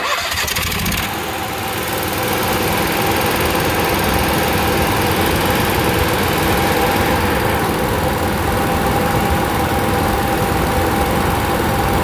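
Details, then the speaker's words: Onan QG 5.5 RV generator with a fault deliberately induced by hitting the governor lever: engine catches and climbs to a loud, fast, uneven run that never settles, speed not regulated. "okay i induced a fault in this one two three one two three all right so what i did i hit this lever made it couldn't regulate the speed"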